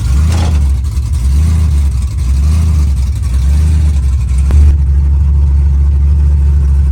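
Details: Car sat a long time and was out of fuel; after refuelling and fuel rail pressure reached 55–60 PSI, it started. Strong steady rumble with a couple of gentle blips, firing clean with no misses; running properly again. Still needs coolant, tune, vacuum lines.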